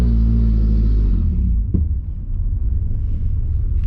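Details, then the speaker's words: Honda Accord CD7 with swapped-in H22 engine, started after the swap: deep even rumble settling from a rev into a quiet, steady idle with no knocks or misses; much smoother than before, running normally. "Oh, she sounds so much better, dude. I'm surprised it even held an idle like that before, dude. Honestly. All right. Oh yeah, she sounds good."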